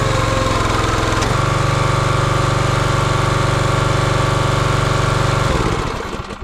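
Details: Champion 27-ton log splitter's 224cc engine, stored outside over a year, running after the hydraulic fluid leak fitting was tightened. Even thumping at steady speed, then a clean shutdown with no misses. Normal running.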